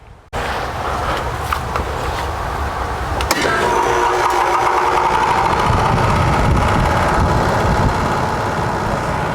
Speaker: we already checked the inside unit is running but the other the outside unit is making a loud noise so let me show you guys how it sounds like